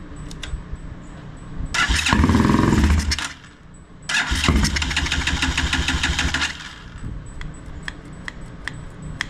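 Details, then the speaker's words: Motorcycle after carburetor cleaning, with fuel squirted in to start it. Two bursts of cranking, each catching for a few seconds then dying; it fires briefly but won't keep running. The owner suspects a stuck carburetor needle. "well it lasted longer than before [Music] a little bit of fuel in there a little bit more I wonder if that needle's stuck again"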